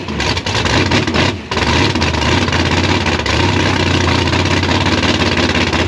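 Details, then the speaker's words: Gasser C10 carbureted race V8 with 71 primary jets and a 5.5 power valve: rough, uneven idle with a sharp pop and brief dropout; owner and engine builder think it is running too lean, plan to change jets and power valve. "I called the engine builder, Dean Gellner. He's the expertise with this. We think that the engine's running a little too lean."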